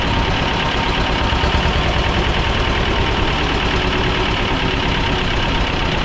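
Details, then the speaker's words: Belarus 250AS diesel tractor, about 1985, after sitting for years, first-stage filter refilled and lines bled: loud, steady clattering idle that stays flat with no climb in revs; runs but won't rev on its own, fuel starvation. "Um, as you notice, I've it's got it where it is idle. It'll run, but it will not rev up on its own."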